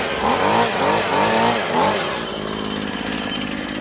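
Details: Husqvarna/McCulloch Tivoli 65 two-stroke hedge trimmer, sitting 15 years, after replacing perished fuel lines: blips up crisply a few times, then settles to a steady, even buzz with no misses; runs right.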